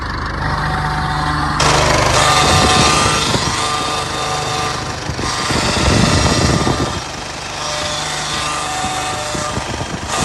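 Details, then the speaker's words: VW 8-160 truck with loud, uneven rattling bursts from the power steering, about three or four a second, over the running engine; it persists after the pump and all the system fluid were replaced; cause unknown. "Trocou bomba de direção, trocou todo o óleo do sistema e olha o barulho que esse caminhão 3/4 tá fazendo."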